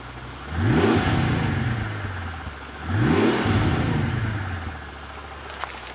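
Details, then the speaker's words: Twin-turbo V12 Mercedes CL65 AMG restarted after a key cycle following a misfire blamed on bad fuel: two clean throttle blips, climbing smoothly and settling to an even idle without stumble or miss; normal revving, check engine light still on. "first started a lot better it's perfect it's"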